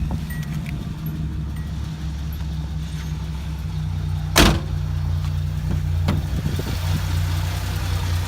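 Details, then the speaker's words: 1981 Datsun 280ZX T-Top, fully restored with under 1,000 miles since restoration, idling just after starting from inside the car: smooth, even low idle with steady rhythm, no knocks or misses, one brief background clunk; healthy idle. "All right, while we're sitting here, we'll go ahead and crank her up. Nice and strong."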